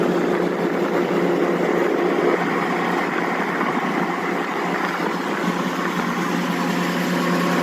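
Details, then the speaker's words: Belt-driven blower: dull, even, low rumble like a car engine bay, steady with no knocks or squeal; the blower bearing is progressively failing. "저거는 지금 이제 둔탁하게 자동차 엔진 룸처럼 들리는 건 베아링이 나가고 있는 상황이에요"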